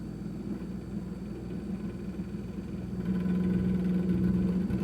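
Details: Kenmore 51103 refrigerator: low steady hum with a quick buzzing rattle about four times a second that grows louder midway; something loose vibrating, cause unclear; rattling noise.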